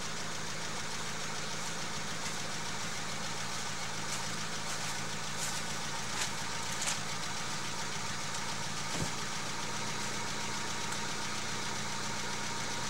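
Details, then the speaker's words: Volkswagen that won't start after an accident and body repair; spark confirmed, ignition wiring or spark plugs suspected: steady cranking whirr with no firing pulses, never catches. Cause unconfirmed, compression test next. "I'm going to be doing a compression test on here to find out if the engine is compressing like it should while it isn't starting so this is what the car sounds like now"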